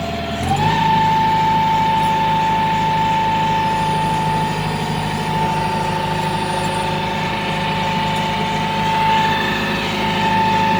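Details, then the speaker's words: Hitachi excavator diesel after injector rebuild for hard starting, low power and misfire caused by dirty fuel tank: starts in one click, settles into steady, even idle with constant whine, no stumble or smoke; normal diesel idle. "Ang ganda ng andar walang usok bumalik sa dati rebuild natin injector niyan low power hard starting anong masasabi mo Master"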